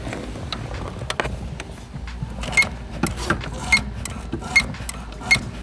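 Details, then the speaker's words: 2001 Porsche 986 Boxster S, microphone inside the cabin: a short, high squeak comes with each clutch press, four in a few seconds, caused by the clutch pedal power assist spring contacting its housing; fixed by fitting the updated spring. "If you listen closely, you're going to hear a squeak every time we press in the clutch."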